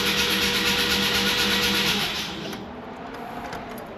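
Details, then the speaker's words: Mazda RX-7 FC with freshly rebuilt 13B NA rotary engine, first start attempt on a weak battery boosted by a jump pack: slow, laboured cranking about three beats a second that fades after two seconds; low battery, slow cranking. "Let's see. It's not going to be enough juice, but just to crank a wee bit."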